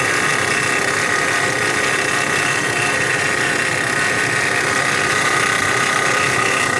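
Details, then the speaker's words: 2016 Dodge Grand Caravan 3.6L at idle: constant hissy whir with a fine rapid rattle from the engine front, before repair; owner thinks it is the timing chain or variable valve timing gear rather than a pulley, alternator bearing or accessory belt. "y y ese ruido que trae no tengo que arreglar solucionar el problema pero para mí no suena como un como una polea o como el balero del alternador suena más como el el en grande variable suena como la cadena de tiempo"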